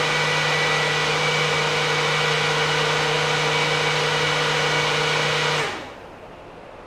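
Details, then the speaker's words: 2017 US Legends car after carb removal, jet change and reinstall, ignition on without starting: electric fuel pump hums at fixed pitch about five seconds then cuts off cleanly, priming normally while checking for leaks; no leaks found. "Alright, now I am going to turn on the car. I'm not going to run it yet, but I'm going to just turn it on so that the fuel pump kicks on to make sure I don't have any leaks."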